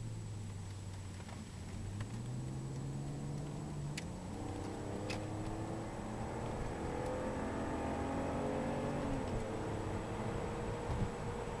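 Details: BMW E46 330Ci while driving through the gears: the engine note climbs and drops as a faint steady whine sits under the road noise; the owner wonders if it is tyre noise, source unclear.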